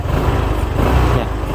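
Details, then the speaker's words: 2021 Honda PCX 150i, 9 months old, 8,000 km, stock engine and exhaust, revved on throttle: low, even note that swells and eases smoothly with no rattles or misses; normal revving. "เดี๋ยวคลองเร่งเครื่องให้ฟังเสียงเครื่องแบบชัดๆนะครับ"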